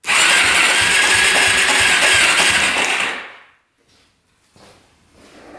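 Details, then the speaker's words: Suzuki LTZ400 quad sitting eight years, first electric-start attempt: about three seconds of strained, whirring cranking that turns over hard without firing; owner suspects a rod bearing or possibly a tight ring. "Sounds a little iffy. Definitely sounds iffy. Almost sounds like a rod bearing is gone, but uh we're going to continue to lube this thing up."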